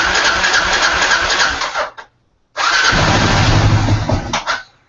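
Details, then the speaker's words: Adventure motorcycle cold start with the choke cable pulled: catches quickly and runs two seconds, cuts briefly, then fires again and revs cleanly; a normal choked cold start. "Oh yeah, my neighbors would cry. But she starts up. That was an actual cold."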